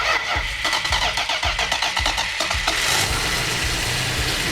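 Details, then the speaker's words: Freshly built 440 Magnum V8 with roller rockers, after ignition timing corrected at the distributor: cranks evenly almost three seconds, catches cleanly, settles into a steady, even idle with good oil pressure, no misses. "there it goes so I turn our exhaust fan on yep okay it's running that's all right good oil pressure"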